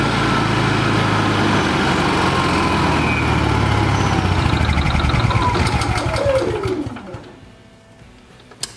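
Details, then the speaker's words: Honda EU6500is generator with one side of a connector unplugged as a test: engine fires and holds a steady buzz for about six seconds, then throws an overload code and coasts to a stop. "by disconnecting this side here this thing should start but it's only gonna run for a second and then it's going to throw a code then it'll die out"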